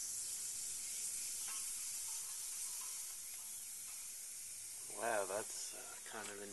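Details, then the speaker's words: Zenith 25MC36 tube TV after substituting a solid-state high-voltage rectifier: steady high frying hiss, glowing blue, picture pulled in widthwise; high voltage much higher or HV regulation not working, causing corona. "It appears the high voltage is much higher with the solid state rectifier, or the high voltage regulation's not working."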